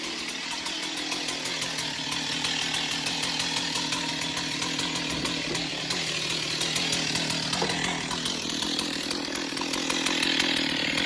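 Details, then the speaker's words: Stihl 028 Wood Boss chainsaw, long unused, with its cracked pulse line found as the fault, run with the air filter off and a thumb as choke: a high, steady, even two-stroke buzz. It sounds healthy but weak and needs tuning and servicing. Normal running. "Yeah, I don't think there's anything wrong with her. I think just some tuning and a little bit of servicing, I think this thing will be great."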